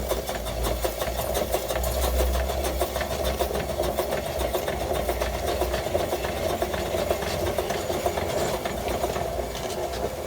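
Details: 1915 Stanley Steamer Mountain Wagon steam engine: a quick, steady tapping knock once per revolution while running.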